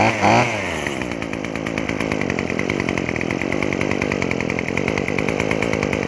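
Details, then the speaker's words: Craftsman WS2400 pole saw, two-stroke, after dumping old gas, refilling with fresh fuel, new fuel lines and slight carburetor adjustment: crisp, even buzz at steady pitch, no stumbling or surging; normal running. "all right well from what I can tell and hear the pole saw seemed to run much more smoother now than before so it seems like dumping the old gas and poor Fish fill to the gas tank and some slight carburetor adjustment did the trick"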